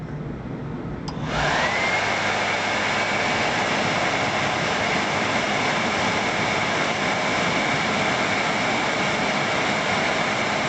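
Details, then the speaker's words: World Model A hand dryer after repair, running with blower housing: motor spins up quickly to a steady, smooth high whir, even tone, no rattle, very little brush arcing; normal healthy running. "i'm going to run it there's hardly any arcing at all on the brushes of the motor which is very good"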